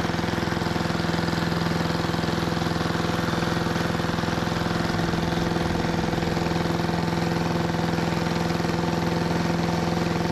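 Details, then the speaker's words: 1973 Giant Vac walk-behind leaf blower with Briggs & Stratton engine: steady, even drone holding one pitch without climbing; runs smoothly but owner suspects it isn't reaching full throttle. "I'd say that made pretty light work of uh making a pretty small pile but I still don't think it's getting up to full throttle"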